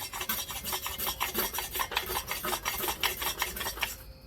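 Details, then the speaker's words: Kawasaki KE100 top-end teardown, sharpening stone with spray rubbed over the cylinder head face: rhythmic rasping strokes, two or three a second, with scratchy catches where the stone grabs; high spots on the head. "So I'm going to take the sharpening stone, I'm going to go over it and see if I can't find any high spots. Okay, I can feel them, and you can hear them."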